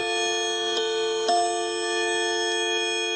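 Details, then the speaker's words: Leick pendulum quartz clock, Japanese Tochigi Tokei movement (marked Quartz Japan): mechanical chime where a small hammer strikes a metal gong; three clean strikes with bright, evenly sustaining ringing tones. Normal chime. "the chime that is mechanical it operates with the actual little Hammer striking a couple of rounds to create this sound"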